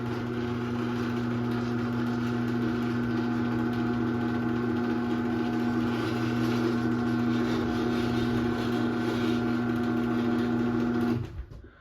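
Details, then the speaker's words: 2001 Chamberlain 7320 1/2 HP chain-drive garage door opener, no door attached, running on a Craftsman rail: smooth steady motor hum with constant chain whir for about eleven seconds, then a clean stop; quiet for a chain drive, normal. "So yeah, as you can tell, this opener is pretty quiet for a chain drive. Obviously the belt drives are going to be quieter than this, but for a chain drive, this one's pretty quiet."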